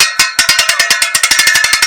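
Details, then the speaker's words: Dutton Lainson B2500 boat lift winch, reassembled after repair for unwinding under load: crisp, even ratchet clicks speed up as it is wound, pawl catching cleanly on each tooth. Normal. "okay you can hear that that's clicking nicely"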